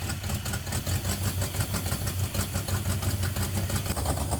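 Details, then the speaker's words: 1971 Plymouth Satellite 318 V8 with a newly fitted Thermoquad: holds a high, busy idle around 2,000 rpm instead of settling. The secondary air door, which is linked to the choke pull-off, is hanging up and causing the fast idle. "I'm setting the idle speed down, but I noticed that the secondary air door is hanging up, and that's causing it to idle fast."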